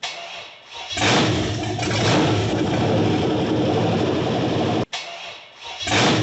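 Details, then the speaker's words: Cammed 6.0 LS V8 swapped into a 1978 El Camino, first fire-up: cranks, catches and settles into lumpy, uneven idle with a stumble; rough running, suspected not getting enough air because of the cam. "and she wants to run [Applause] probably just not getting enough air because of the cam go for it"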